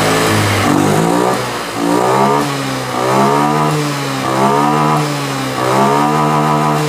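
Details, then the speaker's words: Honda Scoopy FI, about 2022, K0J engine, which hesitated on light to mid throttle, after cleaning and injector setting reset: three clean throttle blips with pitch rising and falling smoothly, no stutter; healthy revving. "jadi pokoknya kalau sudah tidak ngedat bisa ditutup bagian filternya"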